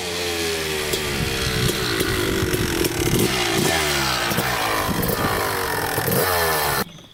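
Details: 2000 Suzuki RM250 249cc two-stroke, unrun for two years, after pipe fix, carb clean, new oil and fresh gas: revs cleanly with crisp steady blips, quick even return to idle, no misfire; normal running.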